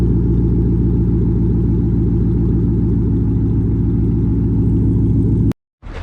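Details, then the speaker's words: 2005–2009 Ford Mustang GT after misfire repair with coil packs refitted: the engine starts smoothly and idles with a deep, even rumble and steady firing beat, with no stumbles and no misfire. "oh that was a smooth start no misfire I I can already hear it there's zero misfire"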